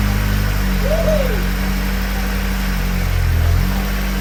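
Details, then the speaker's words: Honda Civic Si Mugen (FA5/FG2, K-series) on a lift right after twin-disc competition clutch install; earlier metal banging was traced to the rotors/rotor plate: steady, even rumble, no knocking, brief light chirp early; normal running. "All we know now is to test drive the car, but it sounds good to me."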